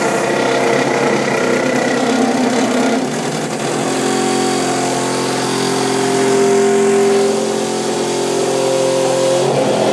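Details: Toilet refill after flushing, loud droning hum with shifting pitch and rapid rattling throbs lasting about a minute until the tank fills; both water lines vibrate violently; began about a month ago.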